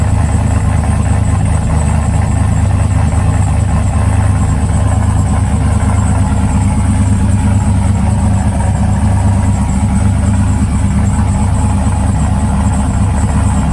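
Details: Trailblazer SS V8 after replacing the GM fuse box (crank-no-start, codes P1682, P0689, P0443): deep steady idle with an even low rumble, no misses, knocks or ticks; normal idle.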